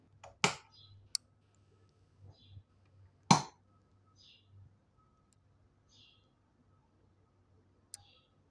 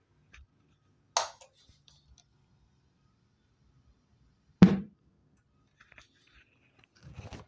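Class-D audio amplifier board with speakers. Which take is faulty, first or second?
second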